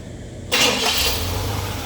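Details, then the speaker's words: 1976 Cadillac restarted hot after about 20 minutes running with AC on: quick crank, immediate catch, then steady even idle; starts cleanly. "The motor is good and hot. I had it running probably about 20 minutes with the AC on. So, the motor is good and tight and it is still uh still cranking up like I was supposed to."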